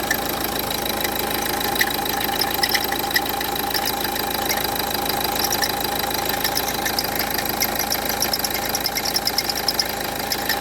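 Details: Renault Duster 1.5 dCi diesel idling: fast, uneven metallic ticking rattle over the engine from a worn alternator pulley, which was replaced.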